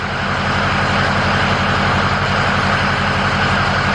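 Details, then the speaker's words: Ford F350 dually 6.0 PowerStroke diesel just after installing a new XDP gear-reduction starter: starts quickly, quieter than the stock starter, then a loud steady drone with even firing and no knocks; normal running. "That sounded way better, way better. That started up really quick."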